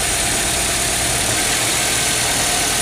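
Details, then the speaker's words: 2003 Nissan X-Trail T30 with a stumbling, power-losing engine and check engine light; ignition coil pulled from a running engine gives fast, sharp, steady ticking of about three or four snaps a second, a normal, healthy coil spark. "Kalau koil ditarik aja seperti ini ini tidak ada perubahan apa-apa ya kalau diailnya hidup apinya besar dia seperti ini nah seperti tek tek tek tek tek tek ya"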